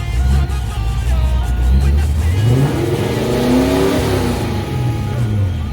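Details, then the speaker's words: Supercharged 1988 Saleen Foxbody Mustang warmed to about 160°, after a new intake, rocker and valve adjustment, a replaced EGR spacer and a fixed vacuum leak. It revs up cleanly and settles smoothly with no stumbles, though it is running rich and needs tuning. "not bad fairly smooth oops gotta fix that"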